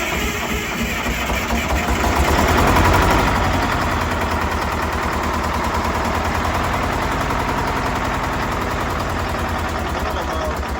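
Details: Detroit two-stroke diesel bus fires up after blower replacement and a full tune-up that corrected mismatched injector timing between banks; it settles into a fast, steady, even rattle with no misses before idle setting and a test drive.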